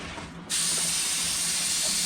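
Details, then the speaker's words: 2006 Honda Pilot whose brand-new AC compressor clutch won't engage: a sharp, steady high hiss for under two seconds as refrigerant escapes the barely touched service port; the system still holds about 80 psi on both the high and low sides. "Oh, I barely touched that. So yeah, we got about 80 pounds on both the high and low side."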